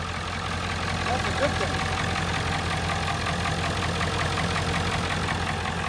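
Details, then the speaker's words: 1997 Ford F250 7.3 Power Stroke turbo diesel, first start in two years, white smoke: steady, deep idle with a rough, rhythmic clatter at about 160 beats a minute; someone says it sounds like it's knocking, cause unconfirmed. "All right. She sounds good. I drive this thing to Florida right now. Let's go. [Applause] Sounds like it's knocking."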